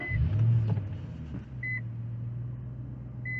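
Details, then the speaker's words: Infiniti M45 V8 at idle, then revving after the aftermarket aluminum undertray was modified to clear the oil pan: a smooth, even hum with dash chimes and no rattle, drone or buzz, and it revs freer. "Yes, yes indeed. I like that. That's what the M45 is supposed to sound like. So, let's give it some RPM. There you go. Nice and easy. No rattling and droning, buzzing, vibrating, and all that."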